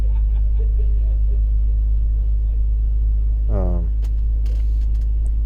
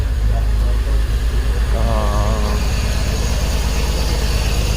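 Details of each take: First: 2004 BMW X3 3.0L six after the cylinder 1 misfire codes were cleared: low, even idle hum with a steady beat, no stumbles or misses, smooth running values; normal idle. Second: 2004 BMW X3 3.0L six, cylinder 1 misfire (P0301); coils 1 and 3 swapped and misfire moved to cylinder 3: rough, uneven idle with a stumbling low thump about three times a second; faulty ignition coil.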